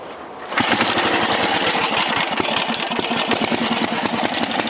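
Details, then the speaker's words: 1968 Briggs & Stratton 7hp 275cc horizontal single-cylinder, all original, started cold on choke at 3/4 throttle: catches after a brief crank, settles into a fast, even, steady patter, no misses or knocks; normal running. "this thing starts up and runs smooth as pie it's got plenty of torque plenty of power"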